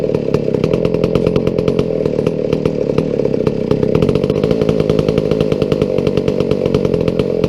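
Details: McCulloch 797 123 cc chainsaw, sat unfired for years, fitted with a foo bar fuel system and filter: crisp rapid even firing, steady buzzing note, no misses or stumbles; runs cleanly, healthy.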